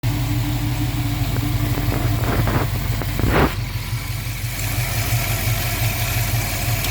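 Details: Dodge Dart engine idling: low, somewhat uneven knocking tap about three times a second through the rumble; engine knock, cause unconfirmed.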